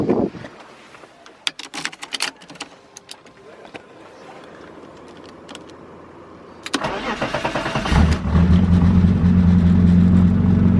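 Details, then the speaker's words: BMW E36 with a swapped M54 six, starting and pulling off. A loud, raw, deep drone plus rattles from junk in the back and an ill-fitting bonnet: loud exhaust because only half the exhaust is fitted. "sounds a bit filthy because i uh only have half an exhaust but also my bonnet doesn't really fit"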